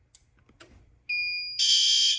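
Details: Fire alarm panel: clean high tone, then a harsh half-second pulsing horn blast; the horn is sounding normally.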